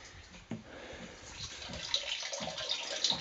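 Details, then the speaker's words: Homemade ram pump built from reclaimed plumbing fittings, heard at the hilltop tank at least 20 m above the pump: water surges in with soft thumps about every half second. It half-fills the tank in about two hours, working normally. "there we go you can hear thumping we've got a wee bit of water coming out not a hell of a lot but uh this is half full in about a couple of hours so that's quite pretty amazing actually"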